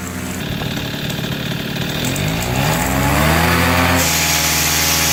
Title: AC nitro 200 buzzing noise